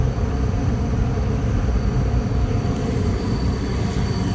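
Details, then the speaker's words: Relocated Goodman furnace started after reinstall, running about 35% and ramping up after thermostat turned up; steady, even low rumble of air and blower with no knocks or squeals — normal furnace running. "Okay guys, she's up and running. I think it said it's running like 35% right now. I just turned the thermostat up. It sounds like it's ramping up a little bit right now. Yeah. Ramping on up."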